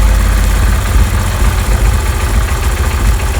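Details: Honda CD 70 single-cylinder bike after carburetor air mixture screw adjustment: a steady even low putter at idle with no hunting, misses or stalling; normal idle.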